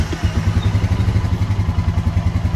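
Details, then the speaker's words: Fuel-injected Honda Foreman 520 after fuel pump replacement, previously stalled on throttle: hot restart, pump primes, engine catches and settles into even beat of about nine pulses a second; clean start, runs healthy. "so sounds good so everybody in my mind that's the fix fuel pump"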